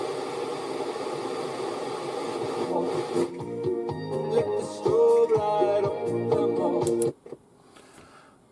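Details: Roberts R900 transistor radio (about 1985) first powered up on the bench after repairs: clear music at steady volume until it cuts out near the end; set receiving and playing.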